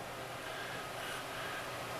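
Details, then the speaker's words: Turntable through an external preamp to a PC, with a ground loop isolator fitted: loud, steady hiss with a faint low hum and no signal. Ground loop noise; the turntable's built-in preamp was silent. "this works all this works fine yeah this one is full of noise I mean look at that"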